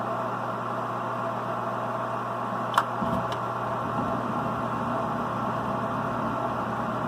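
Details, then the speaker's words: 92% efficiency sealed-combustion gas furnace during a pre-winter checkup, calling for heat: the inducer fan motor, which supplies combustion air to the burners, starts with a steady low hum and smooth whoosh, no rattle or scrape; normal inducer operation. "furnace is calling for heat so you can hear the inducer fan motor start up"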